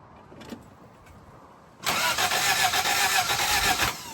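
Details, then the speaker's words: Toyota Celica after head gasket replacement, during a crank-no-start diagnosis: about two seconds of rhythmic cranking at roughly four beats a second, but the engine never catches; cranks without starting. "Okay, that doesn't make sense. You wait 2 seconds, you crank it over again, it changes what happens."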